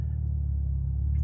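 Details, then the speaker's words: Cadillac LF3/LF4 after a Schmidty tune: a deep, low idle rumble with a rise and fall in the beat. The idle hunts up and down and feels like a miss, though the scanner shows no misfires. It stabilizes after about five seconds; cause unknown. "it kind of does this thing where it's kind of like the idle's up and down and it feels like it's missing"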